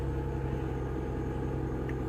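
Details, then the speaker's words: 2008 Mercedes-Benz E280 petrol engine just started, idling with a low, uneven thump and stumbling, stalled once; misfire counter shows cylinder 1 misfiring, worse with revs; cylinder misfire at idle. "Ok todo bien está en cero porque está apagado vamos a encenderlo ver enciende con mucha falla verdad"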